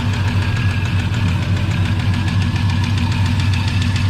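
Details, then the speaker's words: 1984 Chevy truck with a 454 in place of a 305, dead for two years, first idle after revival: a light, regular tapping about 3.5 per second; owner says a lifter is knocking, though it may also sound like a rod. "oh looky there got a lifter knocking over here all right so we're just gonna let it sit here in idle"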